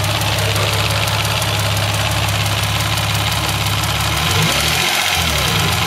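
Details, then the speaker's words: Mazda 626 with KLZE V6, weak factory valve springs, slightly loose timing belt tensioner; idling with fast light ticking from the back, resembling lifter tick. Cause: cracked valve spring retainer. "all right y'all can hear the ticking you know that my friends is a cracked valve spring retainer"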